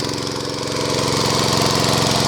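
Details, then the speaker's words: Small water-pump engine running on LPG fed through a hole drilled at the air-filter/carburetor intake, mixture correctly set: even steady note holding speed without hunting or misfiring; normal running. "โอเคครับตอนนี้เครื่องเริ่มนิ่งแล้วนะครับใช้แก๊สแบบสมบูรณ์แบบแล้วนะครับ"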